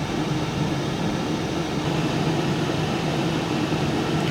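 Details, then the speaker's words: Cosori Turbo Blaze 6 L air fryer on air fry mode, fan picking up to full speed: smooth, steady whoosh at constant pitch and level, no rattles or rubbing; healthy fan operation. "The fan speed is picking up. Sounds like it's about to take off down the runway."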